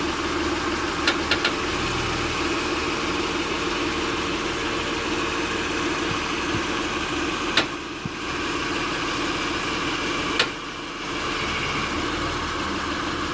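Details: 2006 Acura TL (3G) with the engine idling in park: a few sharp, isolated clicks from the passenger side as the steering wheel is turned. The cause was an internally binding steering rack; replacing the rack fixed it.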